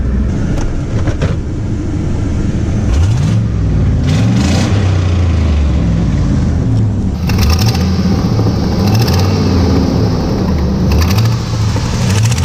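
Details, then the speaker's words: Chevy truck V8 first started after sitting about three months, idling: steady rumble with a faint quick ticking puff on each firing pulse; exhaust manifold leak, otherwise sounds good. "she actually does sound really good except for the manifold leak but the only thing that sounds bad on it"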